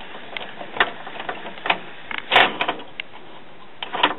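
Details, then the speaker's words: December 2001 Japanese-made commercial Denon CD player/cassette recorder, after a belt refit and an epoxied homemade gear pin: irregular clicks and clunks from the tray mechanism, about one every second or two, as it snags; the loading gear is out of time. "So let's go put it back in the CD player and see what happens. And now something's hanging the tray up."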